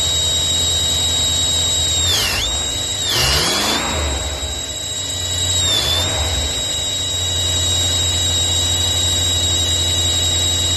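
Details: Ford F250 engine running: steady high-pitched squeal under the bonnet over a low engine hum, dipping briefly in pitch a few times.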